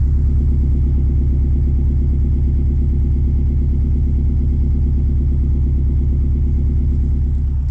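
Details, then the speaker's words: 2006 Subaru Legacy 2.5GT flat-four, automatic, no check engine lights: even low burble, steady pulse, no ticks or knocks at idle; slight piston slap noted only on cold start — normal idle. "no check engine lights idle super super mint has a little bit of piston slap it uh cold idle or cold start I should say which is a Subaru being a Subaru but otherwise it has no major ticks or sounds"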